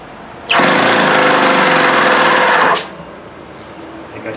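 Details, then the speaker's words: OS FS-120S E four-stroke RC engine, over 10 years old and long unused, 5% fuel, 53°F, choke closed and throttle open, very low compression: harsh, ragged two-second burst with a gritty grinding edge; rough running, needs full disassembly. "Yeah, this sounds like it just it doesn't even sound good. Something just doesn't even sound right in there at all. It sounds like there's something grinding."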